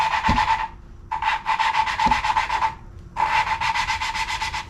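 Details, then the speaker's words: Hand-lapping a valve with compound on a Ford 8BA flathead V8 block, in a slightly tight guide: rhythmic gritty rasping at about four strokes a second, pausing between bursts. The seat is still rough. "here we go it's already starting to smooth out this one's going a little easier than the last one"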